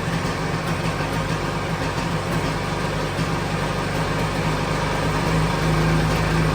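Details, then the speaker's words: 1997 Sea-Doo XP 800 two-stroke after carb rebuild: steady but slightly lumpy low idle, a touch slow and needing raising a smidge. No more big white smoke. "So in theory, watch that thing here. Needs to go up a little bit more."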